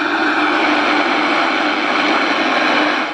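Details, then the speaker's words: Harvard H-407 CB radio restored and run on 13.8 volts after the tune-up: steady even receiver static hiss from the speaker with no crackle or dropouts, with more bass. Normal receiver audio. "let's uh do the tune up and straight away this speaker sounds a lot better"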